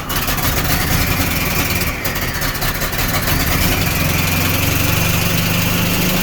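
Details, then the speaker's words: Chevy S10 street rod with turbo, just started after crank attempts: uneven lumpy idle with irregular beat; rough running, owner suspects one carb running rich and the other lean. "wow what i can hear one carb is running rich one carb or one carbs running good i think the other one's running lean i have a look into that but at least you came to life"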